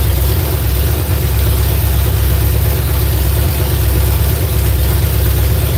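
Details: V8 just started on its ignition box: deep, loud rumble that stays flat and heavy and never climbs freely when run up. Flames were seen from one side; ignition timing is suspected to be wrong, not confirmed.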